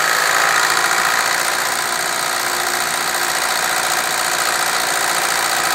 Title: bruit moteur mini.MOV